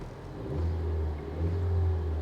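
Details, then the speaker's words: Car on an auction-yard walkaround: low engine note rises smoothly on two blips and settles back without knocks, misses or rattles; engine revs cleanly. "engine sounds good speaking her language"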